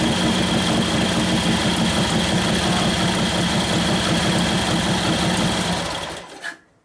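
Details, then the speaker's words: 1941 Harley-Davidson WLD 45 flathead V-twin, 56ci stroker build: loping idle of about three beats a second sags and dies; idle mixture screw very touchy, a quarter turn leaner makes it labor. Lean idle mixture. "I screw up another quarter of a turn more, if even that much. It starts to labor down. Put it back where it wants to be. It's real touchy."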